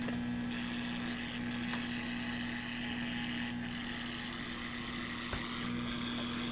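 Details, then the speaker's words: Cheap generic laptop power adapter plugged back in, heard through speakers with volume up: steady low buzz-tone over constant hiss; switching power supply noise from poor filtering. "And as soon as I plug it back in again, you'll hear the noise from the switching power supply. Poor filters."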